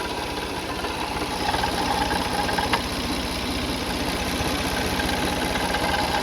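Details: 2004 Toyota Sienna engine at idle: steady idle with a loose, uneven rattle of about three beats a second at the front of the engine. Owner suspects a pulley, water pump or timing belt; the timing belt later snapped while driving.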